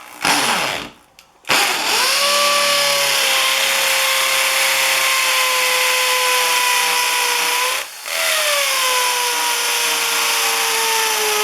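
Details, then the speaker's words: Hammer drill boring into concrete to set anchor bolts while framing a carport: a steady high-pitched whine with a rapid buzzing hammer rattle and one brief pause; normal hammer drilling. "like I was saying this is a hammer action on on this drill and and you should be able to hear it this one has a really fast the cheaper ones are really fast but the the bigger ones you can really hear it like banging into that concrete goes a lot quicker"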